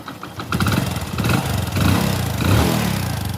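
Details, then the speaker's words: Hero Splendor motorcycle after a full genuine timing-chain kit replacement, started: it settles into a smooth, even idle with a steady beat and no internal knocking or chain rattle, with only the exhaust note standing out; normal idle, engine noise gone. "तो अब bike को करते हैं start और आपको तो यह देख लीजिए इसकी आवाज है भाई की इतनी स्मूथ आवाज ए रही है जैसे की बाइक स्टार्ट नहीं है"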